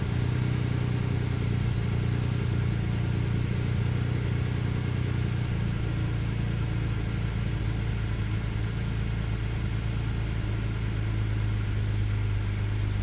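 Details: BMW E90 335i, morning cold start: loud, low idle whose speed drifts up and down instead of settling; owner reports bad injectors on cylinders 1 and 2; surging idle.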